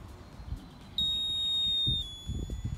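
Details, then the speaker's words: Aftermarket low coolant float alarm fitted to a Land Rover Freelander 1, ignition on, float pushed low: one clear high-pitched beep about a second long, then silence; low coolant warning working, beeping once only. "so you heard that sound die away and now on subsequent activations of the switch we don't get any more beeping which means as you're driving along and this is wiggling around it's not constantly beeping at you which is what we want"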